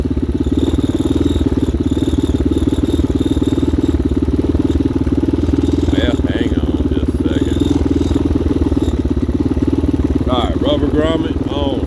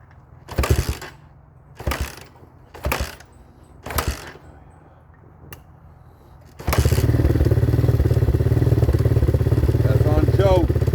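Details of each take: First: 2019 Hawk 250cc single-cylinder with a newly replaced carburetor, warming up on a cold day: an even, rapid putter holding a steady idle on its own with no misses or knocks. Normal idle before the first ride. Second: 2019 Hawk 250cc single-cylinder with a newly replaced carburetor, started cold on half choke: a few cranking bursts, then a fast, steady idle with the idle screw turned up, since idle can't be set until the carburetor warms.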